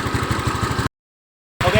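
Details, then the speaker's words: Honda Scoopy after repair of hard starting and stuttering on throttle (plug change no effect; injector removed, spray-tested good, refitted): steady, evenly spaced idle with no hunting or misses, normal idle restored. "Setelah itu kita pasang, motor sudah hidup kembali normal kembali."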